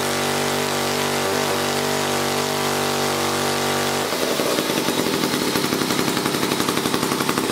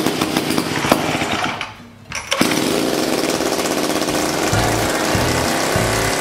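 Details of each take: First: 1956 Eclipse Wasp chainsaw after reed block repair and carburetor fine-tuning: fires up and settles into a quick, even crackling two-stroke beat at steady speed; normal running. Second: 1956 Eclipse Wasp chainsaw, two-stroke, first start after its carburettor was cleaned and reassembled and the reed block fixed. It catches after a brief lull, then holds a fast, busy buzz instead of settling, so the idle is set too high.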